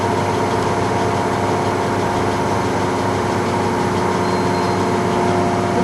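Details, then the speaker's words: TM 508 common-rail test bench restarted after fluid warm-up to 45 °C; the beep signals the pump has reached its maximum pressure of 1,600 bar. A steady electric hum with constant tones; normal operation at maximum pressure. "Foi acionado, significa que a pressão máxima da bomba chegou em 1.600 bar."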